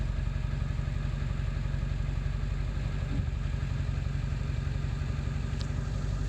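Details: 7.3 diesel at idle after ICP sensor replacement, still not running great: low clatter with a slightly uneven pulse near four beats a second; rough idle, cause still unknown.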